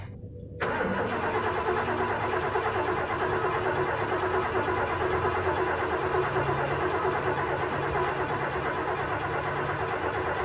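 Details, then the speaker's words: 1968 Thunderbird 429 big-block Ford V8, first start after a carb rebuild with new gaskets and freed-up butterflies: catches right away and settles into a very loud, steady, lumpy idle with an even beat; running well, owner thinks he hears a slight vacuum leak. "holy crap this thing is so loud oh geez well it seems to be running pretty good actually"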